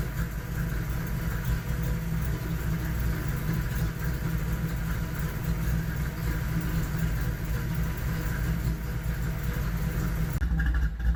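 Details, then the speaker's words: SN95 Mustang on a Terminator X system, first idle on its own, below operating temperature with the cooling fans not yet wired: deep, even idle rumble holding steady with no stumbles or hunting; idling cleanly. "but I'm pretty happy with what it sounds like"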